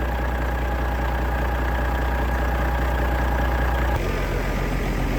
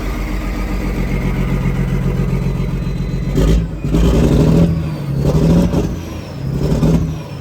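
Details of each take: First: Detroit DDEC diesel truck after sitting 11 years: deep, even steady idle, no misses or knocks; runs smoothly with oil pressure, air pressure and voltage up. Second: Detroit diesel truck, first start after sitting 11 years once the ECM was sorted: lumpy uneven idle surging in slow waves, missing badly; engine position sensor reading suspected.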